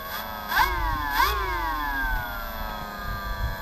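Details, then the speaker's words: FMS 1300mm Carbon Cub RC plane, 850KV motor, 40A ESC, 3S battery, just bound to the transmitter: two quick rising motor whirs winding down smoothly, a brief throttle burp confirming binding. Normal motor and ESC response. "I can tell that it's bound by a quick little burp of the throttle."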